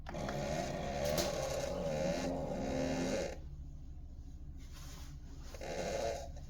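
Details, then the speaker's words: Keurig K-Mini Go after replacing the control board for a high-pitched whine and no power: a steady pump hum with gurgling water runs a few seconds, eases off, then resumes, a normal brew cycle. "So, with this test, we proved that the unit functions with no restrictions."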